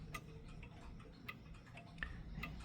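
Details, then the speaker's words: Mechanical clock out of beat after its crutch was pushed to one side: ticks uneven, a short gap then a long one, one beat louder. "You see now it's out. And you see now it's out of beat."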